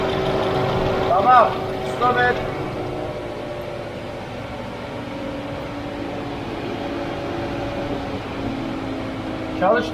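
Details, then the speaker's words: VW Golf 6 1.4 TSI (CAXA), cold idle on first start after timing chain replacement: steady, even idle with no rattle from the front of the engine, just a faint hum the mechanic attributes to the fuel pump while cold; healthy. "zincir işlemleri bittikten sonra ilk çalıştırması bu şekilde fark ediyorsanız iyi dinleyin zincir sesi hiç yok gelen ses Şuradaki benzin pompasından araç soğuk olduğu için"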